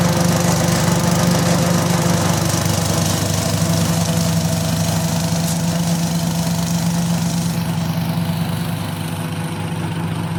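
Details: Restored 1972 Brott 320 flail mower with centrifugal clutch: steady, even engine drone with a firm low hum and no misses or knocks; normal running.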